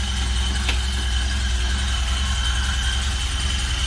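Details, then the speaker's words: 1974 Alfa Romeo Spider Veloce, 10K original miles, after 30 years' storage and fuel pump repair, just started, warming up without air cleaner: steady low throb about 2.5 pulses a second, idling nicely; normal running after start. "Kind of started right up for the most part. Gonna let it warm up for a while. I'm running without the air cleaner. It's idling pretty nicely."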